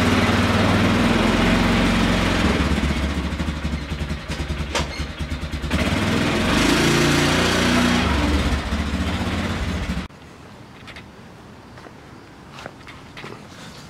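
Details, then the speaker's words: 2000 Polaris 6x6 ATV after repairs to the CDI, brakes, carburetor, fuel lines, tank, kill switch, wiring, bendix gear and starter relay. An even single-cylinder thump holds steady and picks up cleanly, with no stumbling or rattles; normal running. "So I did, cleaned her all up, got her working, and now she works good."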